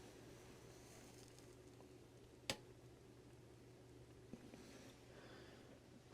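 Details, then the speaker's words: TDA7498E amplifier board, one channel connected, powered on; single soft switch click with barely any pop, faint low hum and no hiss audible from the seat, slight hiss only at the tweeter, clean quiet turn-on. "Wow, that's nice and quiet. Maybe the lightest little tiny pop, which was overshadowed by the power switch noise itself."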